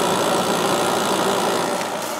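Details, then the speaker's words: 5200 BTU White Westinghouse air conditioner with a Gold Star compressor, running a while on a hot day. A steady, even hum with smooth airflow and no knocking: the compressor runs quietly and is healthy. "The Gold Star compressor on this 5200 BTU White Westinghouse gets very quiet after it runs for a while."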